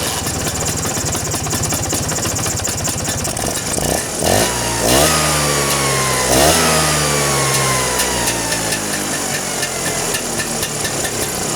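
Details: Vespa two-stroke engine after tightening carburetor cover to cure a strange noise: steady idle with two quick throttle blips, revs rising and dropping cleanly with no rattle from the carb.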